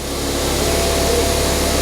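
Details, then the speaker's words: Ford Fiesta ST180 non-runner at its first start: the engine idles very high with no throttle applied, with engine malfunction lights on, because the inlet manifold is broken. "if it runs it's idling massively High I'm not touching the throttle there that's because the inlet manifold broker a bit so engine malfunction it runs"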